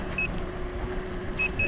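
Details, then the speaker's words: Gotway MCM4 electric unicycle riding at about 13 mph: short high beeps, one then a quick pair, over riding noise; speed alarm tripping, rider suspects first/second alarm settings were left on in the app. "can hear the beeping going on, and I'm doing like 13 something. So I'm gonna pull over at the sidewalk up here and figure out what the deal is."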